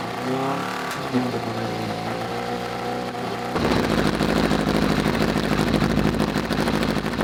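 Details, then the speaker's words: Unfinished buggy with a 600cc motorbike engine, started cold on choke and possibly needing a tune or missing pipes: starter cranks, engine catches and runs lumpy and uneven, flames from exhaust; rough running, cause not pinned down. "Definitely running a bit lumpy but it sounds good."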